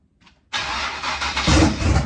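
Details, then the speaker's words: Chevrolet S10 first start after winter work: brief crank, then rough, uneven idle, revving slowly and lazily; ignition timing probably 15–20° locked out and unable to advance, carburetor needs adjusting; sluggish running. "a little lazy of course the timing on it probably maybe 15 or 20° locked out and it can't advance so uh you know it's definitely not happy right there"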